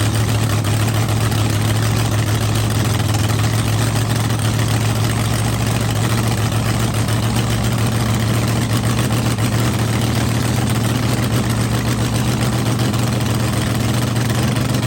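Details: Blown V8 running at night: deep, loud idle holding steady throughout, no misses, ticks or hunting; idling properly, no leaks, assembly lube melting off the hot head.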